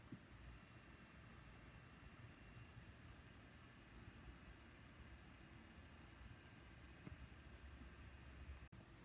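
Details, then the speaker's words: Default PC CPU cooler fan at idle, 1800-1900 rpm, CPU in the low 40s at 3.6-4.1 clock: quiet, steady airy whoosh with a faint high tone. Normal fan noise at idle. "And you can see the CPU fan is keeping it cool at 18 or 1900 RPM. And that's maintaining a temperature in the lower 40s. So that is the default CPU cooler installed in the system."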